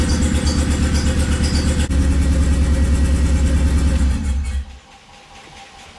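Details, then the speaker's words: Swapped Honda D15B2 engine in an EG coupe: loud, lumpy running with uneven beat about three pulses a second before shutdown; misfire. "everything else sounds great um it's just like a little misfire or something you figure out where it's coming from"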